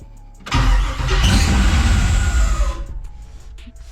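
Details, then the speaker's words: 1964 Chevy just after 4L80E transmission swap, first start: harsh rasping screech over cranking and catch from the starter; starter gear grind. "what the [ __ ] that was [Music] I don't know something to do with that starter for sure I don't know why it sounds like that it sounds horrible"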